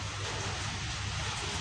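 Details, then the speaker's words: Home-built amplifier with tone control and master mixer, music paused, laptop source on charger: steady low mains hum under hiss from speaker; reduces when laptop touched and disappears when charger unplugged; ground loop hum. "Ini kan udah saya pause lagunya. Coba kita dekatin ya. Dengar enggak dengungnya?"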